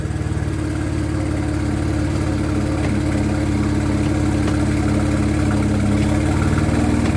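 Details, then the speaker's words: Cold engine idling smoothly after transmission install, steady low pulse about three beats a second, no knocks or ticks; healthy idle. "sound good. I almost forgot what it sounded like. It's not warm."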